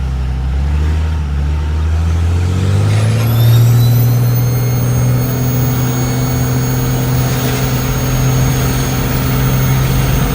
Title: Cummins hx35 turbo whine